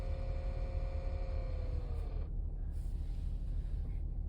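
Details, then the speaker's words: 2012 Nissan Pathfinder R51, warmed up with heat on: thin whirring/growling tone behind centre-left dash over low engine rumble, slides down in pitch and cuts out; unaffected by fan speed or mode, stops with HVAC off, may stop or change with a dash tap; source unknown. "used to do it only when I hit bumps. Now it does it all the time."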